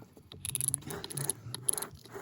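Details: TSDZ8 e-bike mid-drive motor, bought Oct 2024, about 18 months and hundreds of miles, clutch failed: internal ratchet freewheel turned by hand gives crisp even clicking, no skipping or crunch; ratchet sounds fine, though the unit binds with resistance when freewheeling.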